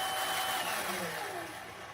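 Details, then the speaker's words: Razor Black Label E90 scooter after warranty replacement of hub motor with worn bearings: smooth electric whine instead of the old growl, pitch sliding down as it coasts to a stop; healthy. "It's got a whine instead of a growl. I like that."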